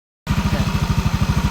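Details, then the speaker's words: Yamaha Aerox scooter idling after CVT repair: steady low pulsing beat, earlier rattle from suspected loose slider piece gone after slider piece replacement and CVT cleaning; quiet CVT. "so ayan guys nalinis na natin nawala na yung ingay nung panggilid natin no yung sa slider piece napalitan na natin"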